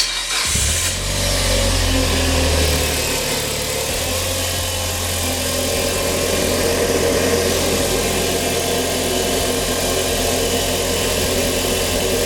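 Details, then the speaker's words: Mitsubishi Lancer Evolution IX after a Mishimoto intercooler pipe kit install: the engine starts and settles into a steady idle with a light, quick ticking from the injectors, which is normal. An earlier odd intake noise is gone, possibly vacuum rebuilding after the brake booster was unplugged. "sounds like real elite ticking injectors everything else sounds all right though"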